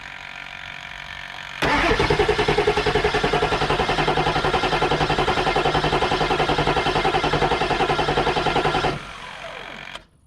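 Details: 7.3 Powerstroke diesel with new injectors, rebuilt turbo, cold air intake, batteries just charged and fuel topped up after looking very low: steady cranking about 3.5 pulses per second for seven seconds, never catching; started only later with ether.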